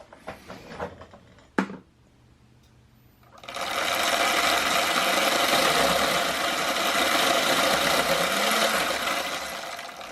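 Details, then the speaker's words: Damaged primary drive chain with missing rollers on an electric dirt bike, run on a stand: harsh, fast rhythmic clatter and whir surging with each throttle run-up, vibration transmitting to the secondary chain; owner suspects damage from a crash with another bike. "so there's like a kind of like a vibration and a certain part of where the chain is or the sprocket all right and you and it kind of transmits all the way to the to the um chain the secondary drive chain"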